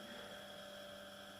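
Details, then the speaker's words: Small 230 V single-phase induction motor run unloaded at 55 V on a variac, turning slowly; constant hum with steady high whine, a little loud, no knocking or rubbing: normal running, no load. "you can also hear in the motor running so it's a little bit loud but nothing too fancy and I think irritating"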